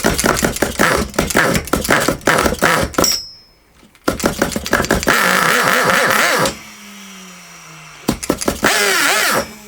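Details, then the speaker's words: Vintage RB-28 nitro engine with a loose glow plug that was left untightened: catches in ragged bursts, sputters and dies twice; rough running from the loose glow plug. "Doesn't sound good, does it? That glow plug's a little bit loose."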